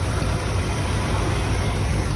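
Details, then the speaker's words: 1972 Ford F100 XLT Ranger V8 revived after 15 years' storage, heard at the connected tailpipe: deep, even idle with no misses, pops or ticks; normal idle. "this one is connected i'm not popping or anything sounds freaking awesome"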